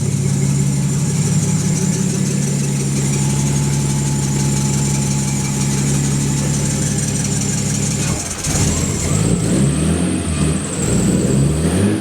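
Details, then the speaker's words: Nissan S13 RB20DET running on a new Ecumaster Classic ECU: a steady idle, then as revs climb a thin high chirp rises with engine speed; the accessory belt squeaks, cause unknown. The tachometer is not working and the throttle response is not right. "But anyways, it's working now. The belt squeeze for squeaks for some reason."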